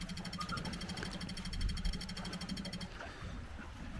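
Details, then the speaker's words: GT40 Nautique boat engine with intermittent heat-soak stall: steady electric buzz with fast even pulse for about three seconds, low-pressure system reaching about 24 PSI; normal fuel pump priming (fault later traced to low pressure fuel pump). "all right you can see we're about 24 PSI there so uh low pressure fuel system is pressurized which is good so we should be able to start her up"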